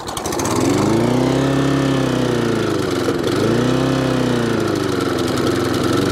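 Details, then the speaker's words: Webb mower with a Briggs & Stratton Classic engine, before repair, with a worn pull cord: the speed swings up and down every few seconds and over-revs, sounding a bit electrical or fuel-related. The surging comes from a faulty carburettor diaphragm and a tampered governor spring. "so that's what it's doing um and not very well it sounds a bit electrical bit of fuel and it's over revving"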